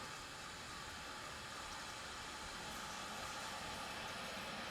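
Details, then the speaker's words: Center-pivot irrigation auto valve releasing water after an override restart, with the end tower moving: a steady rushing, spraying hiss; normal water release, valve working as it should. "Now it's working. You can hear the auto valve."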